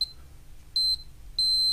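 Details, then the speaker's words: Shoprider mobility scooter with an electric brake fault: a multimeter set to continuity across the disconnected motor connection gives a short beep and then a sustained tone, showing the motor circuit is unbroken. "my multimeter is quite handy upon unity audible beep I know for a fact there's no break"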